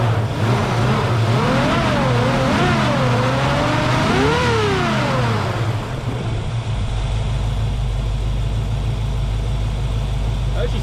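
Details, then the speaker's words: 1966 Ford Mustang, 289 V8 with glass-pack exhaust, revived after sitting abandoned for years, weak electronic ignition replacing points: deep V8 rumble rises and falls smoothly through several blips, then settles to steady idle; healthy engine revving. "But she's running smooth right now. Who knows how long she's going to run because that points or the ignition electronic ignition that's changed out for the points and condensers is weak and it was making some funny noises earlier."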